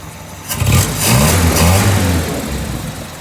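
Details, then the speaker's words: 1949 Jeepster after new intake and exhaust manifolds, new fuel pump and fuel line, rebuilt carburetor and valves adjusted (were way out): engine revs cleanly, smooth and even, no misses or knocks; runs healthy, brief belt squeak noted. "And the car is running fabulous. I mean, it runs the way it should run. Look how smooth it is."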